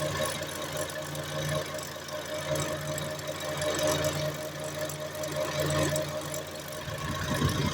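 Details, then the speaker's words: Front left wheel locked at the differential, drive switched to the raised front right wheel: steady droning howl with fixed tones over the engine, certainly a worn front right wheel bearing. "I na 100% wyje przednie prawe łożysko."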